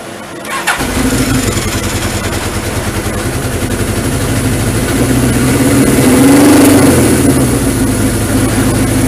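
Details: Suzuki GS1000 (1978–80, 997cc DOHC air-cooled inline four) started after new alternator stator cover gasket fitted: starter whirs, fires at once, settles to steady idle, brief blip and back down, running clean; no leaks.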